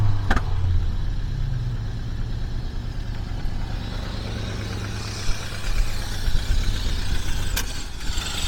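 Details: 1976 Mercury V8 just after start while setting ignition timing: uneven, lumpy idle with a low puffing beat; owner suspects an exhaust leak, possibly a leaking carburetor base gasket, while the ignition timing is fine.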